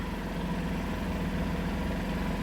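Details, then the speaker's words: Home standby generator in an enclosure, heard from inside the house while running during power-outage testing: steady low engine drone with an even beat and no knocks or surging; runs smoothly and is barely audible indoors. "From in the house, you pretty much cannot hear that it's even running at all. But it is."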